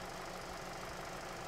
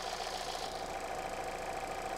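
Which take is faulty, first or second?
first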